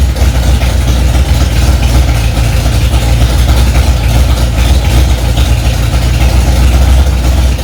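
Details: Freshly rebuilt Ford 289 small-block V8 in a 1965 Mustang "Hack Job", first start after months of work: deep strong rumble holding steady fast idle, even beat, no knocks or ticks; normal fast idle.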